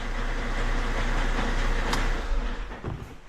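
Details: Fiat Doblo 1.6 MultiJet diesel starting after timing belt, water pump, valve train and oil pump rebuild and fuel priming; catches after a short crank, settles to a steady even low rumble, no knocks or misses, timing looks okay.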